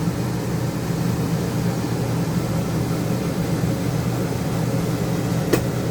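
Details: Camper Dometic air conditioner after fan motor replacement (previously cut off randomly and hummed, capacitor replacement lasted two hours): steady even low hum with smooth airflow, no cutting out or straining; running normally.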